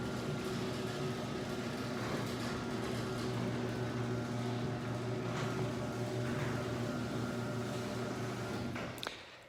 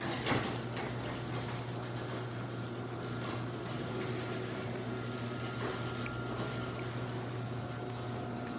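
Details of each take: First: Chain-drive garage door opener before its rail is lubricated: steady motor hum with a loud rattling chain drone throughout the run, then it stops. The door itself is quiet; the noise is blamed on the dry rail. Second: Garage door opener closing after lubrication: steady low hum, smooth even run, no squeal or chatter. It used to be really loud and annoying and is now unbelievably quiet.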